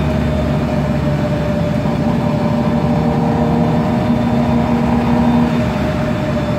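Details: MAN Lion's Classic CNG city bus (code 07-527), MAN E2876 LUH03 EEV turbo engine, Voith DIWA 864.3 4-speed automatic, accelerating: heavy engine drone with a thin steady whine on top, from a noisy Voith gearbox and slightly whining differential.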